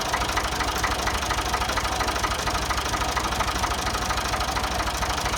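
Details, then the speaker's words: Ford 2000 tractor, sat unused for an unknown time, just started easily: steady, even diesel clatter at idle, firing regularly with no misses or odd knocks; a healthy engine. "That was an easy start. I think we've got a good runner, a good engine."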